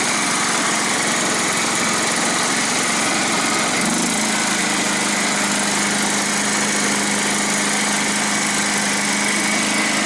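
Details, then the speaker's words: John Deere STX38 riding mower after replacing broken drive belt and tensioning spring in notch: steady, even petrol engine drone with constant pitch settling after a few seconds. Normal running after repair. "And now your belt has tension. See if it kicks on the mower."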